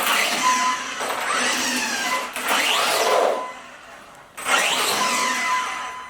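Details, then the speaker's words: Maverick Quantum Flux RC car after replacing stripped plastic spur gear with metal spur gear and setting pinion-to-spur mesh: motor whine rises and falls with throttle, smooth gear mesh without clicking or skipping; sounds a lot better, normal running. "Alright, now for the test. And that sounds a lot better."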